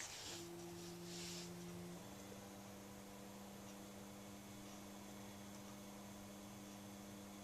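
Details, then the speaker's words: 1936 FADA Motoset car radio for Ford vehicles, running on 6 volts (works positive or negative ground), just switched on: soft, steady vibrator hum settling to an even tone as the tubes warm up; normal vibrator supply operation. "The vibrator's already humming as the tubes warm up."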